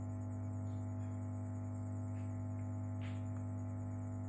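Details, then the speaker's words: EALSEM build-up power amplifier: steady, unvarying low mains hum with a buzzy edge heard in the speaker; suspected cause is an old, poorly grounded input cable, to be replaced with shielded cable. "ini ee menurut saya di kabel ya bermasalah kabel n ngground jadi ini kabel tidak cocok untuk input ya kabelnya sudah mungkin sudah tua ya"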